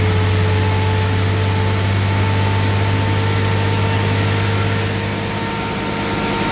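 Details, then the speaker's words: 2013 Ram 3500 6.7L Cummins diesel at idle, coolant about 143: loud steady fan roar over low engine hum, fan staying fully on instead of cycling; fan clutch locked up all the time, with owner complaint of reduced power. "I don't know if you can pick it up, but I mean, obviously at idle you can hear that fan. Sounds a lot like an electric fan on other engines when they come on."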